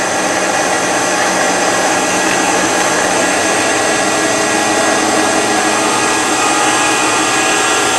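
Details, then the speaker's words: Shopsmith PowerPro belt drive at 3450 RPM after equalizing the tension between its two belts: the earlier bearing rattle is gone, leaving a smooth, steady, quiet motor whir. "There, now it's quiet. That's all there is to it. You use your ears, you listen for the noise to go away."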